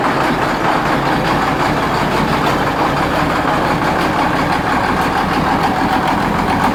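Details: 1973 Case 1370 diesel tractor at idle, with a replaced head gasket, new exhaust manifold and changed intake manifold: sharp, heavy uneven knocks over the clatter; the source of the knock is not yet found.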